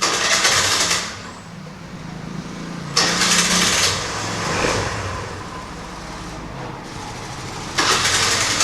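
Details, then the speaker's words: TVS Scooty Pep+ with a starting problem: engine catches briefly after each start attempt, then sags and dies as soon as the throttle is released or opened. The air filter was already cleaned; the fault is suspected in the carburetor or CDI coil, with carburetor cleaning next. "ఆగిపోతుంది so బండి అయితే ఆగిపోతుంది మళ్ళీ so చక్రం తిరుగుతుంది బండి వదిలేయంగానే ఆగిపోయింది మళ్ళీ యాక్సిలేట్ చేయంగానే సో ఆగిపోతుంది బండి"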